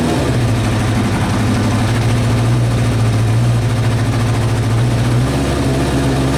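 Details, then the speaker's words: Kawasaki Eliminator ZL600 old four-cylinder bike that had not run, with fresh petrol, new plugs, cleaned carbs, new battery, fresh air filter and old oil, idles deep and steady on choke with smooth even exhaust note: normal idle. "right guys good news I'm not gonna run for much longer because the oil over there needs changing badly but the bike is running it's running and this is why I love old-school Japanese bikes"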